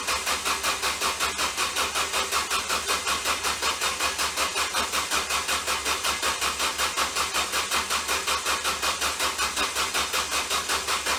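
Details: Ford Focus: even, rapid cranking pulses nearly three per second, engine never catching; bad starter shorted from burning up.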